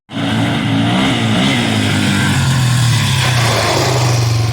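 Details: Mid-1990s Yamaha Warrior 350 ATV, first start after sitting under a tree for years, after cleanup: fires straight up and holds a steady single-cylinder beat with a slight rise in revs, no misses or knocks; runs healthy.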